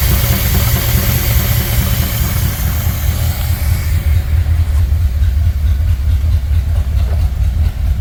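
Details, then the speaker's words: 1964 Ford Thunderbird after freeing stuck valves and rebuilding the top end, idling briefly on old oil while the oil pressure rises. A deep, even throb with no ticking or clatter; the valvetrain sounds quiet. "not sure but it sounds really nice under the hood not getting a bunch of clicky clutter it's coming up oh yeah"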